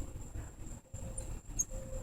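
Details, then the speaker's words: 2001 Buick LeSabre, both radiator cooling fans, mic held close: thin, intermittent high-pitched squeaks over a quiet fan whir every second or so; owner suspects the fan bearings are going dry and plans to replace the fans. "My fans are have an awful squeak to them."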